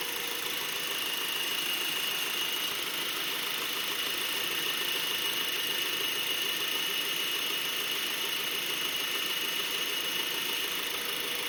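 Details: Brand-new 2012 Honda Accord LX at idle with a thin, steady high-pitched squeal or screech over the quiet engine. The dealer says it is normal, but the same noise isn't heard on another identical car. Cause unknown.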